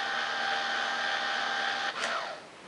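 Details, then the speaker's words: Yashica T4 Super D film camera at end of a 15-exposure roll: steady high motor whine for two seconds, then quick falling sweep as it stops; counter flashes zero, normal completed film rewind. "it did and now it's a flashing zero so it's safe to open up the back and all of the film has now been real owned back into the cassette"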